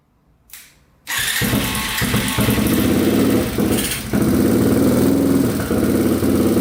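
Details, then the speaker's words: Yamaha TTR230 single, first run after carburetor float repair: starts on first kick, idles unevenly with occasional sharp pops; owner suspected an exhaust leak, but air leaking past the intake boot was leaning the mixture. "Alright, it's sounding a little bit better. It's still popping, though. I'm not sure if it has like an exhaust leak or what, but it's popping pretty good."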